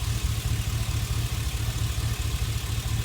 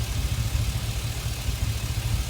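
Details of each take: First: Chevy Express idling smoothly with a steady, even low rumble and no misfire after reconnecting cylinder 1 fuel injector, whose loose plug connection caused the cylinder 1 misfire; bank 1 catalytic converter was also clogged; rebuilt engine. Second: Chevy Express, rebuilt earlier, at idle with a cylinder 1 misfire that stayed put after swapping the injector and coil. The scanner counts cylinder 1 misfires climbing 8, 10, 12. Uneven, stumbling idle pulse with small drops.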